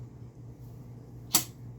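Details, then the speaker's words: Thorens TD124 Series 2 turntable, clutch now adjusted after earlier scratching in the up or down position: quiet, steady motor hum with one clean click as the clutch shifts, no scraping; normal clutch operation. "and it's working perfectly. I just finally seem to have it adjusted perfectly, because I was always getting some scratching before, either on the up or down position, and now it's just working fine."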